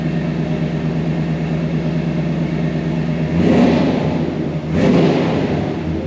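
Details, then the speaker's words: 1978 Dodge D150 pickup: smooth steady idle, then two clean throttle blips rising and falling evenly with no knocks or misses and no smoke; engine healthy. "Sounds good. No smoke blowing out or anything."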